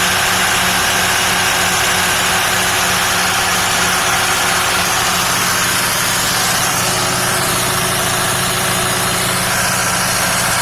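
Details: Twin supercharged 8V-53 Detroit two-stroke diesels on a 1967 Hatteras yacht, first start in 3 years after new fuel pump, filters, return line and raw-water impellers, intake off: steady deep drone, even blower whine, no misses; running clean.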